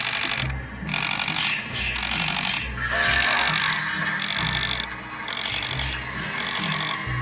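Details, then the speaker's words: 2008 Gemmy Jason Voorhees animatronic, mechanism after fitting a new replacement gear: even cycling whir about four times a second, no ticking; gear train meshing cleanly, much quieter than before. "And here we now have a brand new gear in the mechanism, and listen to how much quieter this is."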